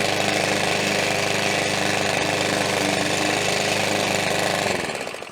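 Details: 16-inch (41 cm) petrol lawn mower during a test cut: strong, steady engine buzz holding speed under cutting load, then dying away at the end; the engine sounds normal under load.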